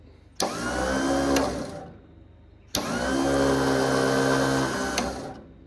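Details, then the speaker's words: Ford Powermaster 961 tractor with ratchet-style Bendix starter: two bursts of free-spinning whir rise and die with no cranking beats; starter spins without turning the engine over, starter gone bad. "It's like the starter's trying to spin,"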